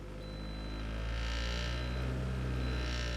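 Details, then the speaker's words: Toyota Matrix idling with a heavy, rough drone and faint buzzy rattle about four times a second, vibration felt in the seat but not the steering wheel; used to be smooth; cause is one bad motor mount. "hear that that rattling this rattling everything rattling and you can feel it in the seat you can't feel it in the steering wheel it just it's just rough it used to be smooth the real problem is the motor mounts are bad"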